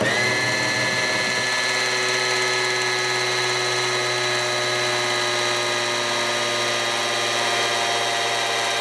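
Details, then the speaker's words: 1985 Camaro IROC-Z Z28, TPI LB9 engine, 101,000 miles, parked 25 years, rebuilt: prelubing with a big half-inch electric drill; high motor whine drops in pitch and holds lower as oil pressure builds and the drill loads down. "you can you can hear the drill load down this is a big um a big half inch drill and when you get get the oil pressure built up the you can hear the load and the motor on this drill gets hot in a hurry"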